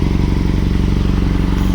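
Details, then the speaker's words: Yamaha R6 idling lumpy and uneven, won't rev to higher rpm, heavy misfiring; a quick check showed three cylinders working and one dead, spark plugs suspected, filter cleaned. "ಈ ಗಾಡಿಯಲ್ಲಿ ಏನು ತೊಂದರೆ ಅಂದ್ರೆ higher RPM ಹೋಗ್ತಾ ಇಲ್ಲ ಸಿಕ್ಕಾಪಟ್ಟೆ missing"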